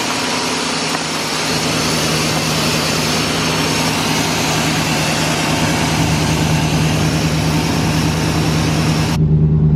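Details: 1987 Chevy C10 fuel-injected truck, abandoned 10+ years, started after both tanks and fuel pumps were replaced: it fires and settles into a steady, even idle with a smooth low rumble and no knocks or misses.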